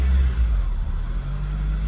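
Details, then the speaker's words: 2002 Acura RSX Type S K20 engine, warm after a couple of minutes: idle surges, low hum dipping and rising on its own with no throttle; cold idle about 1500 rpm; defective IACV replaced. "but you see the pulsating now right pulsating with an attitude there"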